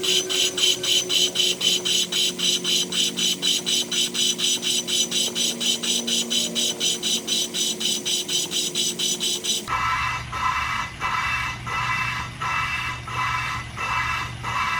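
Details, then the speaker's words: Honda K24 rebuild, lapping a valve with compound, lubed stem: gritty scraping strokes about four a second that soften and drop in pitch partway; pitch change shows compound breaking down. "and then you should hear the pitch change. And when it changes, that's when you know the compound's broke down and it should be lapped."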